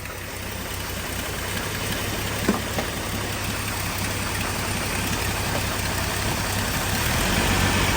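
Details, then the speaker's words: 1988 Jeep Wrangler YJ with a rebuilt engine, after an electric fuel pump conversion and a new fuel filter: steady, even low idle with no misses or hunting. Starts far better than before though a little cranky, idle lower, slight shake of unknown origin. "A little cranky, but it starts way better than it ever has. Sure, idle's lower."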